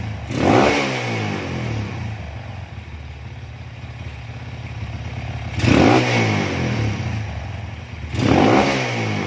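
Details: Honda CB/GL/MP/Tiger single-cylinder motorcycle after changing ignition timing to fix kick-starter kickback: steady idle with three smooth throttle blips, no clatter or kickback; normal revving.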